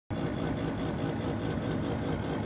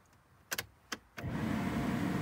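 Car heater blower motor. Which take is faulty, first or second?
first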